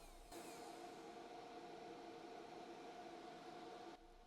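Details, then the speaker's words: BougeRV 2000 W 12 V pure sine wave inverter under load over about 1000 W: steady airy fan rush with faint hum comes in, holds, drops away; inverter cooling fans kicking on normally under high load. "so the inverter's still running and as you may or may not be able to hear this inverter has fans on it and they were just running pretty hard I guess when it gets over a th000 Watts the inverter fans must kick on"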